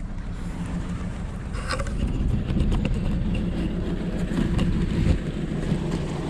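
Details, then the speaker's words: Uneven, stumbling idle with an irregular low beat and loping pulses, RPM unsteady; no spark on one cylinder, misfire traced to a failed ignition coil pack. "but it is running pretty rough i'll show you here"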